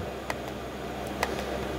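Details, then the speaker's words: Diesel parking heater (Cinebasto) in a camper, dosing fuel pump ticking about every half second over a soft burner hum after startup, normal operation; combustion temperature 648, cabin at 20 °C within 5 minutes. "a funzionando da ventolina e c'è la corrente ancora non è partita la pompetta quindi di solito fa così aspetta un po e poi parte la pompa ecco che dopo qualche si sente ti tic tic e infatti qui il simbolino della pompa del gasolio anche a partito"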